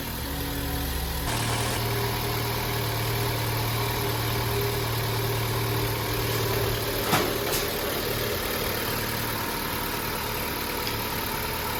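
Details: Opel Astra J, first start after engine rebuild for misfire and burnt valves, antifreeze just added: engine catches after a brief crank and settles into a steady, even idle with no misfire, knock or ticking. Normal idle.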